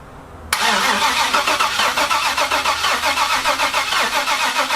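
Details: Dodge Ram 1500 with an LS V8 swap at first start, oil filled and fuel filter changed: quiet, then the V8 catches at half a second and settles into a steady, even run with a crisp exhaust pulse; successful first start.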